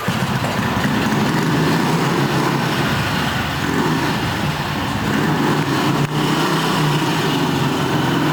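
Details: 1960s BSA 250 single-cylinder motorcycle, first startup after a late-1990s restoration, in a parking garage: steady, even single-cylinder thump at a smooth pace with no knocks or rattles; normal running.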